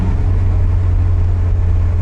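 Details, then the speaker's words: Nissan 200SX (S12) old turbo engine on the road after ignition work, running smoothly with an even low rumble and no misses; good oil pressure, good vacuum, boost comes right up, though no power down low. "running great though cool good oil pressure good vacuum boost comes right up perfectly drivable"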